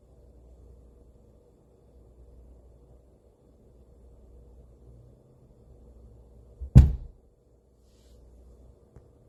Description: You may want to use your headphones to listen to the banging sound.